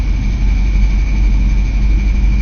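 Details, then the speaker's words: 1983 Camaro, 5-speed manual: thin steady high squeal over the idle with the clutch released, present before and after a recent clutch replacement; slight clutch-pedal pressure silences it. Release or pilot bearing suspected, not confirmed. "and if I apply some pressure to the clutch as I'm going to do right now the noise goes away I'm releasing the clutch and there it [Music] is again"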